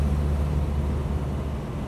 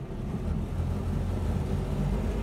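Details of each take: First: 1976 Land Rover Series 3 109-inch with a 2.25 petrol engine, driving with a loud, deep exhaust drone. The exhaust is holed and blowing at the manifold, where a stripped stud was botched with a too-long bolt; this is the before-replacement noise. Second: 1976 Land Rover Series 3 109 with a 2.25 petrol engine, driving after a new exhaust was fitted. Steady low engine purr with road rumble, no exhaust blowing or rasp; much quieter than before, though still noisy with no soundproofing.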